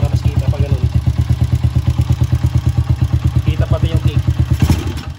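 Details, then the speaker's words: TMX125-class carbureted motorcycle: runs but stalls and sputters when throttled, uneven lumpy thumping about three beats a second fading out and dying; carburetor fault, water in fuel, stalling and sputtering. "pero pagka nags silinyador tayo a siya mamamatay tsaka pumupugak siya"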